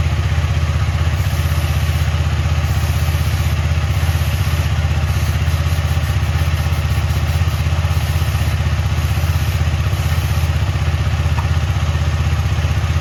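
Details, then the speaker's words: KTM Duke 250 on paddock stand after chain cleaning (Motul chain clean, WD-40, brush) and Motul chain lube: steady single-cylinder idle beat, rear wheel spinning freely with no chain slap, rattle or grinding; quiet chain. "इधर देख सकते हो एकदम चकाचक है एकदम पूरा, कोई नॉइज नहीं आ रहा है, आप लोग देख लो।"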